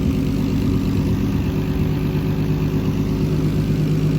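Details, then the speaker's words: Turbo BMW E46 with an M52B28 swap, mid dyno tuning (last pull 17 psi, 450 wheel hp): even idle with a steady low drone and light, regular top-end ticking. Motor seems healthy; normal idle with valvetrain tick. "motor seems healthy clicking away it's really dusty in here but it's went on a dirt road"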